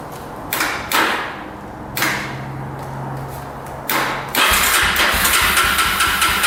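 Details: 2005 Yamaha TTR250 single-cylinder, sat unused, reportedly running a couple of years ago, petcock on reserve with choke pulled: starter spins in repeated short bursts and never catches; crank no start from fuel starvation, with a leaking petcock.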